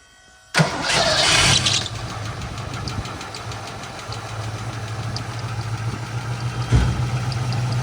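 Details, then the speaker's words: Ford 302 V8 race car started after oil change following a hard track day: it cranks and catches with a loud flare, then settles into an uneven, lumpy idle with an irregular beat; owner suspects a knock and a hurt engine, unconfirmed. "Okay, let's see how it sounds. See if she starts. Sounds pretty bad. I don't think it's happy."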